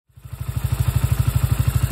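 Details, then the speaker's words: Freshly rebuilt 125 Orcal Astor engine, after climbing a test slope: fires and settles to a fast idle of about ten beats a second with slightly uneven pulses, smoking everywhere, which the owner suspects is oil deposits burning off. It holds idle but runs a bit rough. "Ça ressemble à rien. Alors ça fume de partout, mais je pense que c'est les dépôts d'huile là. C'est pas parfait ça."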